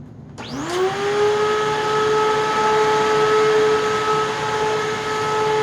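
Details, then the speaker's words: Eureka Whirlwind LiteSpeed vacuum: motor spins up to a loud steady high whine with no beater thrum; brushroll not spinning, likely needing new bearings. "the brush roll needs a bearings yeah bearings so hopefully just bearings yeah i'm gonna turn it on but the brushroll won't be spinning"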